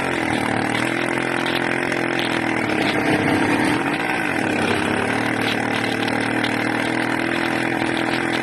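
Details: Small 80cc two-stroke runs loud and ragged, revs surging and dipping unevenly around the middle; owner suspects a carburetor or intake manifold leak, unconfirmed.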